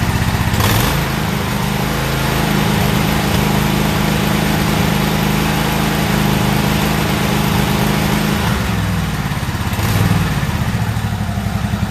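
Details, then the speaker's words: Toro zero-turn mower, about a year old, brought in for no-start; restarted with old spark plugs and air filter refitted: uneven, lumpy running with sharp pops early and late, misfiring and backfiring. "we're going to fire it up you'll hear it back firing and popping and what"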